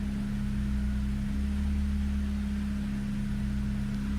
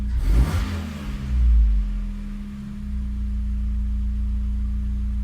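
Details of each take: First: Megasquirt-tuned engine with custom headers and a fixed exhaust leak, warm idle with the AC on, idled up a little above 1,000 rpm: a steady low drone whose pitch dips and recovers every few seconds as the mixture goes lean. Minor idle hunting. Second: Megasquirt-tuned car with custom headers, exhaust leak near the O2 sensor fixed, fully warm, idle initial values raised: quick throttle blip, revs fall back smoothly and settle onto target idle without dipping or hunting; idle control healthy.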